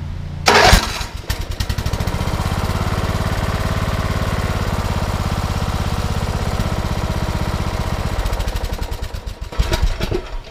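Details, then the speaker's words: 2008 Troy-Bilt Pony riding mower single-cylinder after bent push rod replaced, no choke: cranks, catches within a second, steady even beat with no misses or stumbling; healthy start and idle. "So as y'all can see, the smoke, this done cleared up. It's barely just a little bit there."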